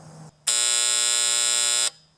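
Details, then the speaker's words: Septic system control panel: harsh, steady high alarm buzz cuts in for about a second and a half as power is switched on; short in the alarm float switch or its wire triggers the high-water alarm, float switch suspected. "so either there's a short in the wire between here and the float or there's a short in the float switch so when I turn this on the alarm comes on"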